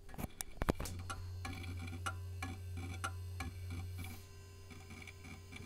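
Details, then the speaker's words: Vintage 90s Packard Bell A940 desktop first power-up: steady hum with sharp, uneven ticks about twice a second from the hard drive, clicking loudly; later sounded normal. Hard drive ticking, cause unknown. "hard drive no innate that sounds awful is this microphone picking that up"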